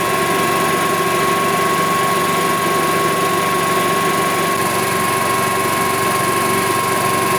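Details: 1999 Club Car DS gas golf cart after a carb clean, fuel pump replacement and a flush of cloudy contaminated fuel for fresh gas: a smooth, even engine note holding steady speed with no misses, knocks or surging. It runs healthy.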